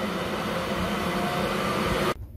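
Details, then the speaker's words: British Gas 541i condensing boiler (a Worcester) after the electrode replacement, burner lit. A steady, airy fan whir increasing and holding for two seconds, then cutting off; a healthy fan run-up. "as you can see we've now replaced them and the boiler is fired up so the burn lights on you can hear the fan increasing"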